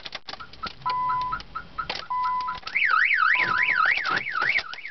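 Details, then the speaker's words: 2003 Nissan Sentra SE-R won't start, all power cuts out when trying to start: alarm siren cycling through steady tones, chirps and a fast warbling sweep, then disarmed; car alarm sounding. "mom goes off turn it off the alarm being disarmed"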